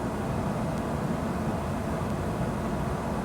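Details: Dehumidifier after a DIY repair, running about 20 minutes at most: steady, even low hum and whoosh, no knocks or rattles; compressor running smoothly.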